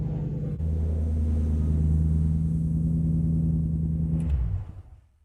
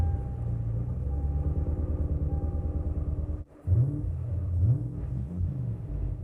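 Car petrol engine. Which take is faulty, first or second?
second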